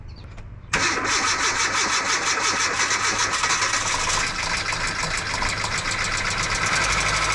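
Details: 2008 Kia Rio sitting three years, after starter replacement and battery charging: starter cranks, engine catches, then runs rough with harsh metallic chatter over idle; abnormal start-up noise, cause unclear.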